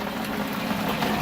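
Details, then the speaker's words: Pump on a rebuilt two-year-old RO/DI mixing station, which had been leaking, transferring water from the storage barrel to the mixing barrel: steady churning rush over a low pump hum with no knocking. Running normally while the barrel fills. "Yep, it's dark, but you can hear it's running, it's filling up."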